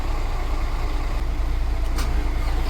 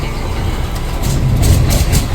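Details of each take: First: Mercedes Axor diesel truck after engine harness repair: starter turns the engine over in steady rumbling rhythm throughout but it never catches; crank, no start, mechanic wonders whether it has fuel. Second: Mercedes Axor diesel truck with no-start/no-crank fault and ignition stuck on, suspected GM module: deep rumble swells and settles into a steady beat within two seconds; starts and runs normally.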